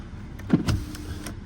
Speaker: yep important window works less important window and even less important window but they all work all windows work